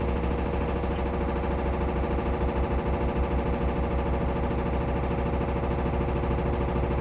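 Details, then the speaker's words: Samsung FlexWash upper washer on Delicates cycle spin, almost as fast as normal cycle, machine shaking: fast steady thumping about three a second; banging of unknown cause, not hitting the dryer an inch away. "Again, I got no clue what that banging sound is because, like, it's not hitting the dryer. It's very obviously not hitting the dryer."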